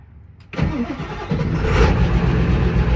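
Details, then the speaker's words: Ford 7.3 Powerstroke diesel truck, 695,000 miles, big injectors, cold start: brief crank, then fires instantly and settles into a deep, steady cold idle; healthy cold start. "fire's right up don't get much more reliable than that"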